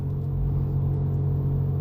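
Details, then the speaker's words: Car with a suspected CVT, driving at about 1000 rpm: a steady droning high-pitched hum rises with speed and continues in neutral with the engine off, so it is rolling-dependent. Worn wheel hub bearing; the customer had described it as overheating. "the higher the speed the higher the pitch noise and my transmission is shifting you can gauge that from uh your rpm"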